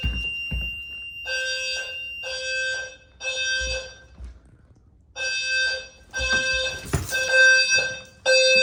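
Bursts of high, bright electronic tones repeat about once a second with short gaps between them; the alarm sounds properly on test.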